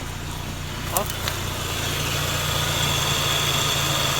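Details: Mazda RX-8 R3, 131k miles, after refitting stock intake and secure stock connector to fix a vacuum leak: steady low rotary burble at idle, even rhythm, no hissing or sucking; no vacuum leak.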